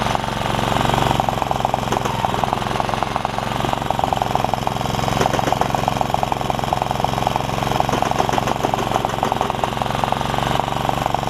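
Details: Honda HR194 push mower after ignition coil replacement and freeing throttle linkages, started at mid throttle: fast, even single-cylinder popping at steady speed, no stumbling or surging; normal running.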